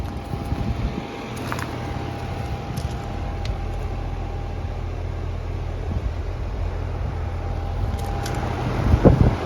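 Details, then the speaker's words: Central AC stopped blowing cold overnight: a steady low buzz with the fan running as the compressor strains but never starts. A bad capacitor is suspected and was later confirmed; the compressor fails to start. "there see the buzz and sam try to get going again he has something to do with the capacitor of our compressor"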